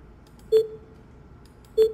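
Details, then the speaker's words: Tesla cabin, quiet. Two short mid-pitched beeps about 1.25 s apart confirm a dashcam recording was saved, after tapping the dashcam icon or shortly after honking when auto-save on horn is enabled: dashcam save confirmation beep. "이 소리 는 블랙 박스 아이콘 을 탭 하여 녹화 를 저장 할 때 들리는 소리 입니다 . 또한 , 경적 을 울릴 때 자동 으로 블랙 박스 녹화가 되도록 설정 된 경우 , 경적 을 울린 후 에 이 소리 가 재생 됩니다 ."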